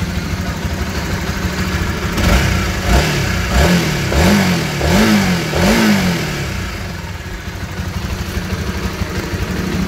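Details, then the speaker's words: Honda CB150R single-cylinder after readjusting the cam chain tensioner (lifter assy tensioner). Revs up and settles smoothly with an even exhaust beat and no top-end ticking; the earlier clattering is gone, normal idle. "Oke dia sudah tidak bunyi kalkun lagi ya"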